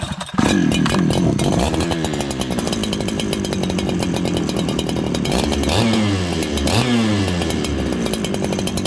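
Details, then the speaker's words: Farmertec 288 kit chainsaw after oil pump repair, low jet turned in from a rich setting: steady buzzing idle with a brief dip and recovery in pitch; small stumble, probably lean. "did you hear that little stumble listen for it okay that little stumble it's probably lean"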